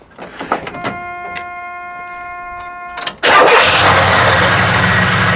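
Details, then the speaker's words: 1972 Buick GS 455 with numbers-matching 455 4bbl V8, automatic, low-mileage survivor with new battery; chimes and key clicks, then it fires instantly and settles into a strong, steady idle with no misses or knocks. "It runs so damn smooth. You turn the key just like I did there, it fires right up."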